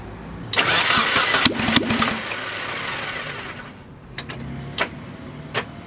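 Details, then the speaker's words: Mazda Miata VVT engine, freshly shaved head with higher compression, first test fire after long layoff, about 118–140°F in car: starter spins hard about three seconds with one brief firing, then weak clicks; battery too flat to keep cranking. "I heard a combustion event. It's gotta be 140 degrees in there, but the battery's not charged enough to turn the motor over now, so I gotta find my jumper pack."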